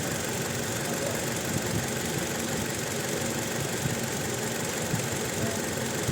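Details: Toyota Innova petrol engine at uneven idle with irregular stumbles and puffs, one cylinder dropping out: no check-engine light or DTC. Waveform comparison flags cylinder two's ignition coil; the coil is to be swapped to rule out the spark plug.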